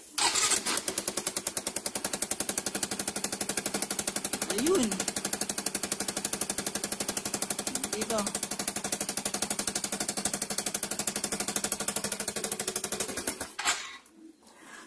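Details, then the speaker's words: Low-mileage Yamaha Mio i125 scooter that backfires, front cover opened: quick even puffing ticks in time with each firing at idle, a sharp leaky chuff at the exhaust header joint; exhaust leak at header. "mga paps Ayan andito yung ano yung singaw yan may singaw"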